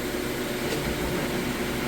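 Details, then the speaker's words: Whirlpool HE top-load washer final spin coming up to full speed; loud, even rushing whirr with no knocks or grinding, spinning faster as the load lightens; sounds healthy. "Alright, on to the final spin. It's coming up to full speed."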